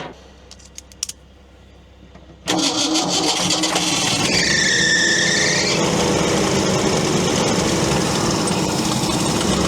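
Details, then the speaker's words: Old crane truck, attempt 12 at starting: long steady cranking whir with some squeal, never fires; owner says it's not picking up fuel, a recurring problem on this unit. "She's just not picking up fuel for whatever reason. The same problem I've had in the past with this unit."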